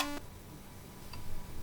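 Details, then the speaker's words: Commodore 64 running a game: a short burst of tune cuts off abruptly, leaving near silence; the music just stops. "this one uh will actually run through the sound test just fine so let's let it do that really [Music] quickly [Music] kind of missing a voice there aren't we"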